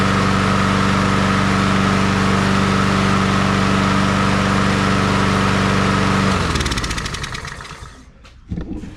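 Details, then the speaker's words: Honda HRR216 push mower revived after sitting disassembled for a long time, started with choke, oil in and fuel on: smooth, regular single-cylinder beat at steady speed, then winds down and stops; normal running. "Alrighty, that thing runs good. That thing's been sitting here taken apart at this guy's house for a long time."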